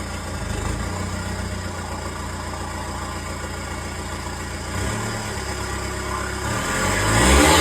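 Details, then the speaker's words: VW Touran TDI diesel with a reconditioned turbo and a boost problem, running after a seized caliper change: steady run, then a thin squeal climbing with revs, put down to the turbine wheel. Fixed by fitting a breaker-yard turbo. "But I made a funny squealing noise, which I can only put down to a turbine wheel."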